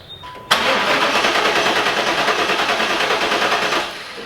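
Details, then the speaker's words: LT1 V8 in a 4th-gen Pontiac Trans Am with resurfaced heads, compression test on cylinder six: steady, even cranking at about three beats a second that stops cleanly; reads about 171–175, normal compression. "number six is looking good at 175 about 171 another one down"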